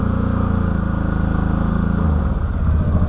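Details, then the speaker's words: 2013 Can-Am Maverick 1000R with many aftermarket parts, first test drive in high range: engine pulls at full throttle but revs flatten and hold far too early, feels weak on power, and the belt/clutch doesn't seem to engage properly. Engine RPM limited under full throttle. "Yeah. So, it's limiting it at RPM. So, something's wrong."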